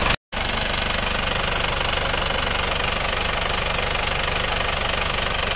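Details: Isuzu Panther (NHG) diesel idling after an engine overhaul with original liners. Steady, even clatter with a regular beat and no misses or knocks. Temperature ideal, compression good, smoke now black rather than white and minimal, no more blow-by; repair judged successful.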